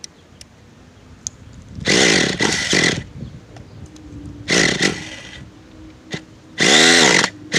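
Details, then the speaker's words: Nitro RC car (modded Nova engine), cold and not yet warmed up on a windy day, revving in short high bursts that bog and burble at the bottom before picking up; low-speed needle too rich, to be leaned. "yeah we're only about one - he's too rich on the bottom I will tell you that so let's lean around a little bit"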